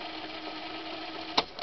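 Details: Vintage GE model 7-4975C alarm clock radio cassette player/recorder fast-forwarding a tape: a steady whirring motor tone from the fast-spinning tape, then two sharp button clicks. Fast-forward works normally.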